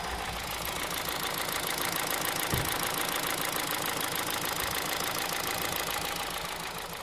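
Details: 2009 Honda Civic Hybrid 1.3 at idle with a light, regular knock of about three to four beats a second over the engine; owner unsure if timing chain, piston slap or bearings.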